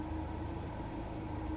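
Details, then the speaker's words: Subaru FR-S with a suspected failing clutch throwout bearing on the pressure plate: harsh, constant whirring drone over the engine, heard when the clutch is engaged; drivetrain noise, cause suspected, not confirmed. "and I think that's that's gonna be like something to do with the thrall bearing of the pressure plate or something to do with that because it's when you engage the clutch that it makes the noise"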